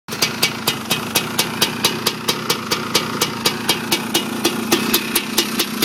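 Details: 1987 Honda TRX250R first run after complete rebuild with new late-model main and transmission bearings, seals, Honda crank and ESR 310PV cylinder: crisp steady two-stroke pops about four a second, no knock or rattle; normal idle.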